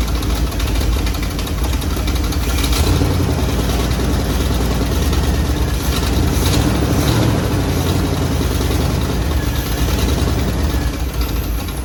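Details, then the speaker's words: 1957 Chevy Bel Air, 350 crate V8 with new Edelbrock intake and Rochester Quadrajet, first start in years after fuel-system repair; timing just adjusted. Loud V8 stumbles and surges, running roughly; carburetor or spark suspected. "doesn't sound like it's running real smooth it's probably the carburetor change all spark stuff"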